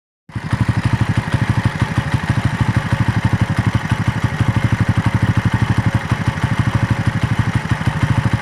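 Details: Raider motorcycle after a long ride: single cylinder idling at a steady beat about three a second, slightly uneven with light clatter on top; abnormal engine noise, source not identified.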